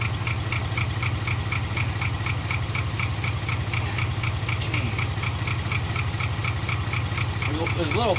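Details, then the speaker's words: 1975 Ford F500 rollback truck after 17 years in a field: lumpy, labouring idle about four beats a second with ticking on top, barely running; owner suspects the carburetor accelerator pump isn't working. "it's just right there on the on the verge of running and not running you could probably somebody could probably do a little work that carburetor"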